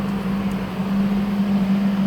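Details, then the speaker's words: HL 1060Z 100W CO2 laser cutter water chiller just powered on (green LED lit): a steady, even low hum at one pitch with fan air behind it. The compressor is running normally; hot air comes out the back. "The green LED lit and the water chiller start working. We will hear the sound from compressor."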